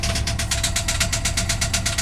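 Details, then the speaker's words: 2002 Chevy Silverado 3500 V8, 100-some thousand miles, first start with no oil pressure reading: uneven idle with a quick light top-end tapping on one side and one cylinder seemingly dead. Owner suspects a bent or stuck valve. "So other than that, I mean, it's got a dead miss on one cylinder, it sounds like, so it could be a valve."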